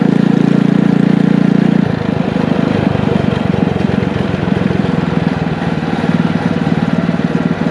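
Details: Engine from a scrap power washer, with a muffler and a 6.5 HP torque converter clutch, driving a tricycle: steady, thrumming exhaust pulses holding even while pulling away under load; runs smooth and normal.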